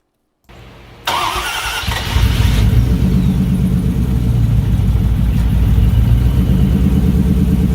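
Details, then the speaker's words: 1968 Ford Bronco with F-150 V8 running a Mustang tune, after valve covers resealed with new O-ring gaskets and earlier fuel filter problem; brief crank, catches, settles to steady even low rumble; first time running mostly right, slightly rich from tune. "this officially marks the first time that it's run mostly the way it should it's running a little bit too rich because of the tune that's in there"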